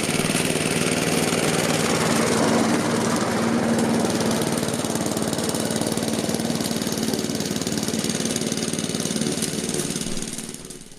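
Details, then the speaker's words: Laser 46cm lawnmower, Honda GCV135 engine, after repair with paraffin-cleaned air filter, governor spring and breather pipe fixed: steady even running, no hunting or surging before shutdown; healthy. "So all that's left to do is a quick test run, and as you can see it's working fine, so I think that's job done."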